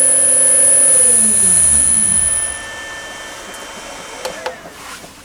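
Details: Myford ML7 lathe's new 1400 RPM 4-pole three-phase motor on a 2.2 kW 220V single-phase VFD, straight out of the box, not yet set to the motor: high piercing whine with stepped tones falling away as the motor runs down.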